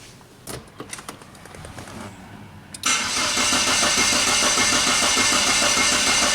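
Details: 1999 Saab 9-3 cranks but won't start: the starter spins the engine at a steady, even beat of about 200 per minute with no firing at all. A scope shows no power at the ignition coil feed and a weak crankshaft position sensor signal, about 250 mV against a 600 mV notch.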